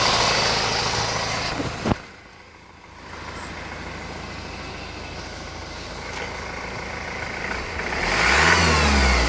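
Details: 2004 Honda 2.2 diesel after timing chain replacement, idling then revved, with a faint whine that climbs with engine speed; source not pinned down.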